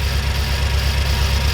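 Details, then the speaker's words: BMW M6 S63 twin-turbo V8 with random multiple-cylinder misfire and flashing check engine light, idling during coil control test: deep lumpy uneven throb, engine shaking; misfire ultimately traced to failing fuel injectors. "And yes, the engine is shaking for sure."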